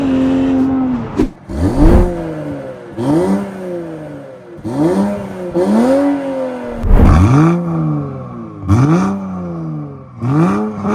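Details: BMW X5 xDrive45e plug-in hybrid, stage 2 tune, OPF deleted, aftermarket valved cutout exhaust opened, comfort mode, not floored: about seven sharp rev sweeps, exhaust booming loudly and resonating at low rpm, better higher up; exhaust drone.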